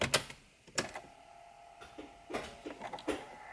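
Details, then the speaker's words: Think City electric car towed in as no-start: after replacing a burnt 7.5 A fuse, key-on now gives a handful of crisp quiet clicks with faint hum between; relays switching in normally. "oh we got some new clicking let's starting it"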